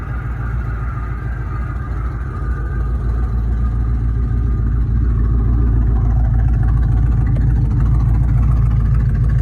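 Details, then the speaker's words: Ford Mustang 2V V8, first start in months after crankshaft and bottom-end bearing replacement for a knock, idles with a low lumpy loping uneven beat; misfire, owner suspects the intake manifold and plans to replace it. "I need to find that Miss I believe that Miss has a lot to do with that intake manifold so I'm just going to change that"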